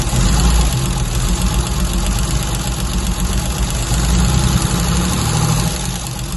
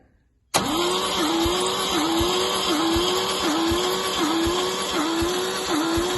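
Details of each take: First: MGC 3.0 straight six, first run in about 33 years, carbs rebuilt, no coolant in it, oil reaching the rocker tops: steady low throbbing idle with an even beat, settling a little quieter after a few seconds; running smoothly. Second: MGC 3.0 straight six garaged about 33 years, compression test cranking: starter spins fast and steady with a slight load dip about every three quarters of a second; zero compression, owner suspects patina or sticky valves.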